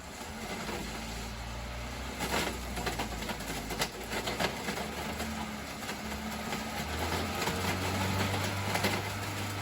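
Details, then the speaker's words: Car whose drive wheels lock up and stall the engine above 10 mph, with wheels spinning at speed: uneven clatter and rattling roll over the gear hum. Broken material is tumbling in the fluid inside the transaxle. "And once we're faster, you can hear that material rolling around in there once the gears pick up that fluid, and also the material that's in it as it washes around inside the gearbox."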